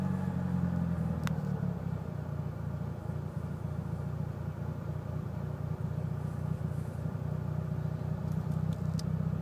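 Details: Low, uneven idle rumble with a lumpy, wavering beat from a Mitsubishi Evo VIII with tuned cams; MAF and intake clean, regularly serviced, rough idle cause unknown.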